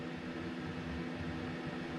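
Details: 2019 Ford E-350 6.8 L ambulance conversion, aftermarket box HVAC with no controls working, being diagnosed: steady airy whoosh with an even low hum and no rubbing or ticking; blower motor spins smoothly and runs normally.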